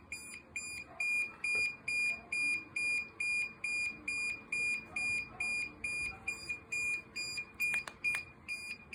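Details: DJI Mavic Air 2 drone: shrill beep repeating steadily a little over twice a second, nothing else running; alarm sounding, cause unknown.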